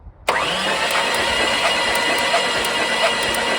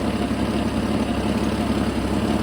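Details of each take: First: Jeep XJ being cranked while chasing a misfire, with only cylinder 3 firing and fluid puffing out: steady cranking with sharp regular ticks. The ignition is arcing out. Fuel was later found to be a bad injector and gas-line leaks. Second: Jeep XJ just after replacing a bad fuel injector: steady, even idle with a smooth low rumble and no misses or stumbles; much smoother than the earlier rough idle.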